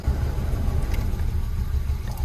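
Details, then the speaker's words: 2010 Hyundai i20 1.4 petrol four-cylinder just started with a misfire: low, lumpy idle with uneven thumps, suspected to be running on three cylinders; engine light comes on after running; plugs or coils suspected before scanning codes. "it's only running on probably three cylinders I suspect and the engine light will come on"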